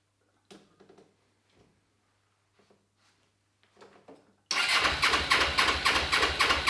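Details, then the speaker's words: Suzuki GS500 twin started on replacement bike with swapped parts: few quiet seconds, then catches and runs loud and uneven with lumpy pulsing beat; hard starting, rough running, owner suspects air leak though brake-cleaner test on intakes showed nothing. "she doesn't run she runs a little bit funny so it actually looks like there's an air leak or something like that but it sounds like an air leak"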